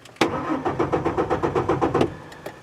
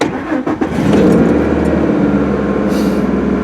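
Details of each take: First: 2003 Ford F-150 4.2L V6, cold weather, intermittent crank-no-start. Starter cranks steadily for about two seconds without catching. The fuel pump has power but whines abnormally, giving no fuel pressure. A new pump fixed it. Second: 2003 Ford F-150 4.2L V6 after new fuel pump replaced intermittent crank-no-start, fuel pressure 34-36 key-on, about 29-30 running: cranks briefly, catches within a second and runs steady and even; fuel delivery and pump amperage check out.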